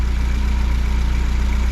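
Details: Fiat 124 Spider 2000 idling evenly near 800 rpm, timing 10 degrees, vacuum advance disconnected; regular low pulse with no misses; old coil had kept it from idling below 1100 rpm.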